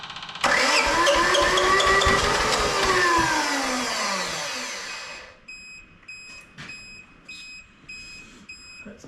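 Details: Japanese IHI mini excavator diesel, long unused, jump-started: loud steady cranking that briefly catches and labours, then stops without running; it's getting fuel, and a stubborn injection pump or too little fuel at the injector is suspected, not confirmed.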